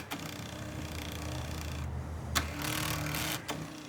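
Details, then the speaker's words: Newly wired power seat installed during 1929 Chrysler interior restoration, back switch raising and lowering the backrest: smooth, even electric motor hum that pauses then runs again as the backrest moves both ways; seat motor working properly. "raises and lowers the back. It's working good. This middle switch is raising and lowering the whole thing."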